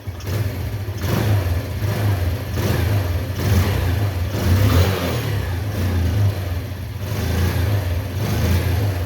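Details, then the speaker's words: Old-model Bajaj Discover after carburetor mileage setting, engine still fairly cold; throttle blips rise and fall cleanly without stumbling; morning throttle cut-out problem now fixed, throttle response normal. "Proper set है। कई बार क्या होता है bike है जो morning के अंदर हम जैसे स्टार्ट करते हैं और एक्सीलरेटर लेते हैं तो जो एक्सलेटर है वो पूरा छोड़ देती, एक्सलेटर भी नहीं देती। ये जो सारी प्रॉब्लम है इसके अंदर दूर हो चुकी।"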